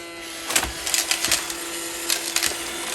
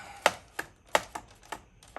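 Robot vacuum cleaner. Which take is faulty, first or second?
second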